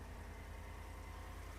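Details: 2015-2020 GM SUV (Escalade/Tahoe/Yukon, 5.3L or 6.2L V8) at first startup after installing an S&B cold air intake, with no check engine lights or codes. Low, even rumble with a steady beat and no misses, ticks or knocks; the engine idles smoothly and healthy.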